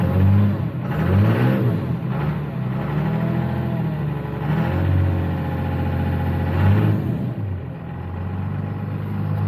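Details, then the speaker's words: 2000 Dodge 2500 with 191,000 miles, in cold weather, with intermittent no-start complaint: uneven cranking for several seconds before it catches into a rough idle; injector bleed-down suspected. "Okay, well, sounds like maybe we have a little bit of an injector bleed down. 191,000 miles on it, wouldn't surprise me."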